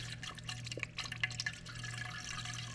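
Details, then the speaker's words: KitchenAid/Whirlpool/Kenmore refrigerator water dispenser after water valve replacement. A sputtering trickle with irregular spits and drips over a low hum as air escapes the line. It is left running until the air stops. "you can hear the air escaping right there we'll just let it keep coming so the air stops coming out"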